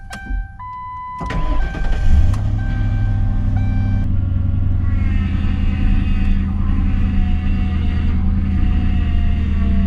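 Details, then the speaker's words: Engine fired up after topping up low power steering fluid: it cranks and catches, then a thin steady whine over the idle, the power steering pump screaming from low fluid. "Yeah, you can hear her screaming. She's not a happy girl. Definitely not happy."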